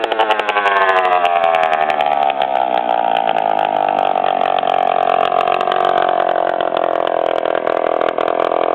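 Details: 1997 DS80 two-stroke with exhaust pipe broken off the head, revving and holding: loud raspy rattly buzz of exhaust blowing out at the head; major exhaust leak.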